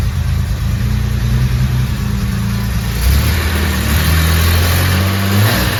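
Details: Jaguar E-Type Series 2 six-cylinder, first start after complete rebuild, oil and coolant topped up, fuel pumps primed: deep, even idle swelling cleanly with throttle blips, pulls smoothly and sounds healthy; normal running.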